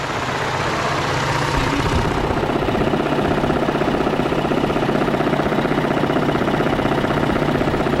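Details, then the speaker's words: 2013 Ford F-150 3.5L EcoBoost at idle: fast, steady ticking rattle over smooth running, unchanged while each injector was killed in turn during a dropout test, traced to the mechanical high pressure fuel pump. "area and i've pretty much chased it down to the high pressure fuel pump okay uh i did do an injector dropout test um earlier earlier a few minutes ago and the noise continued steady throughout uh the entire test"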